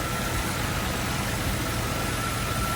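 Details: Nissan Cima Y33 VQ30DET after alternator replacement, idling with lights and fogs on as load: steady, even idle with faint constant whine, no dips or hunting; charging measured 14.55 V, healthy.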